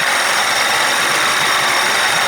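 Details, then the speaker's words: 1992 Johnson 60 hp outboard with 1990 70 hp carbs, after swapping jets and a final adjustment: steady, even buzzy idle with no misses or surging; normal idle. "it sounds good i did that last adjustment all right let me get the cover back on and take it for a buzz"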